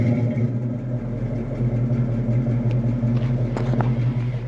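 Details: 1966 Ford Mustang with a 289 V8, warm with the heater on: a steady, even low rumble at a slow idle with no knocks or misses. The engine is healthy, just idling a touch low.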